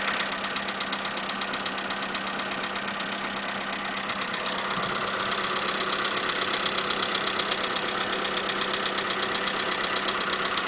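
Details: 2011 Skoda Fabia 1.4, cold engine at idle. A regular light metallic knock, about 160 a minute. A tensioner roller replacement did not help; piston group replacement under warranty cured it.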